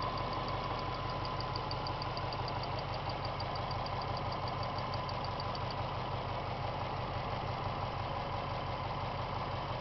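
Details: 1998 Subaru GT, hot engine noise after revving: at hot idle a steady, rapid ticking about three times a second sits over the engine hum; source unidentified.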